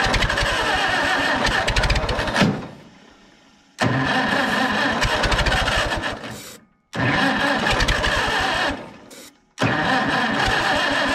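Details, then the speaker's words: Farmall 350 not run in about 8 years: repeated fast cranking bursts that don't catch. The carb bowl is empty, the float and seat are apparently stuck and the sediment bowl is stuck, so starter fluid goes into the carb to see if it fires. "I'm just gonna put some starter fluid in there, in the carb, and we'll just see if it does fire."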